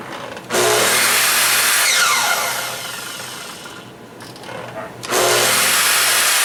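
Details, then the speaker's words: Makita 12-inch miter saw after motor bearing rebuild (previously running rough with a suspected bad bearing): motor spins up fast to an even, steady whine, coasts down smoothly and restarts cleanly; normal running. "that's how it's supposed to sound I guess"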